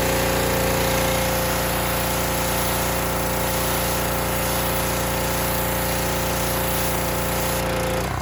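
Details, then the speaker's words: Harbor Freight Predator pressure washer after adjusting the unloader set screw with a socket wrench: steady loud engine drone with an even pulse and constant pitch; adjustment made a big difference, normal running. "so you can see when I adjusted the unloader it made a big difference I'm probably going to play with it a bit"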